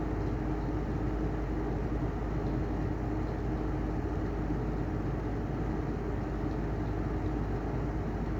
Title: Heller style 2 exhaust fan bad bearings